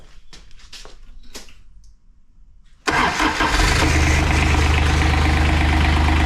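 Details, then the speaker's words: 2001 Kawasaki Mule 2510 diesel after head gasket replacement, idling with the drive clutch removed: even, quiet idle with no rattle; normal idle, so the earlier idle rattle came from the drive clutch bushing. "yep, that sounds like a really healthy diesel. Very quiet, no rattle."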